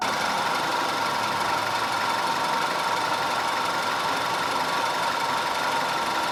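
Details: 2010 Audi A5 2.0 TFSI Cabriolet after repair of random and constant cylinder 4 misfire (P0300, P0304, P130A): steady, even idle with a smooth whirring hum and no stumble or missed beats; running cleanly.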